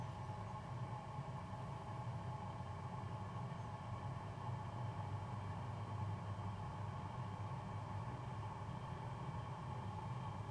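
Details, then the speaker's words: New BougeRV 5 kW diesel heater starting, no warm air yet, slight smoke: constant deep rumbling drone from combustion exhaust; loud because running without its muffler. "Wish I could have put the muffler on there so we could see what it actually would sound like with all of its parts on here."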